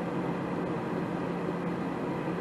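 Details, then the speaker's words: 80% single-stage Goodman natural-gas furnace won't light: the gas valve clicks and the inducer rushes steadily, but no burner whoosh follows. Gas valve outlet pressure is too low to ignite. "i heard a click from the gas valve but i don't hear any flame happening"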